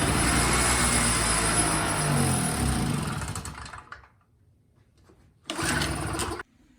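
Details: 2hp Chicago electric generator small engine that won't stay running: runs rough about three seconds, sags and dies, fires briefly once more and quits; carburetor found needing cleaning.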